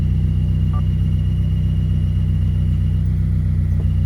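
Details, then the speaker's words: 2015+ Subaru WRX at idle with the clutch pedal out: a faint, quick repeating chirp that stops when the clutch is pressed slightly or the clutch release fork is moved by hand, traced to the release fork. "when you have the car on idle and you don't have to clutch in or anything the car will make a chirping noise and then the moment you press the collection ever so slightly it does not do it"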